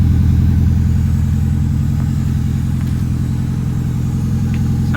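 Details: Ford Escort RS Turbo Cosworth EFI with newly fitted stainless Scorpion exhaust: deep, even burble at steady idle with no rattles, blows or ticking; exhaust sounds healthy and well sealed.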